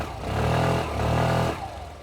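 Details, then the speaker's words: New 2025 Suzuki Access 125 TFT scooter: starts on one crank with a short rev, then a soft, steady idle with no spring rattle or clatter; healthy engine. "இப்போ நான் start பண்ணுறேன். ஒரு தடவை தான் தொட்டேன், ஒரு தடவை தான் கிராங்க் ஆச்சு, ஸ்கூட்டர் ஸ்டார்ட் ஆயிடுச்சு."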